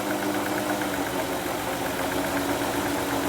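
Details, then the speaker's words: 2005 Ford Freestyle whose slight miss has grown much worse, owner suspects the previous owner's SKP iridium plugs or the coils. At idle it runs lumpy and stumbling, with a shaky rumble and the engine visibly rocking. Misfire. "So you can hear that it's got a miss. So let's go to the front and see if we can detect what it is."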